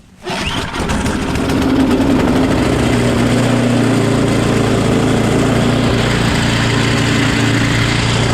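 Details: Small engine after a quick carb clean with carb spray. It starts right up and settles into a steady, even putter with no misses or surging, so it is running healthy. The primer now makes a noise it did not make before.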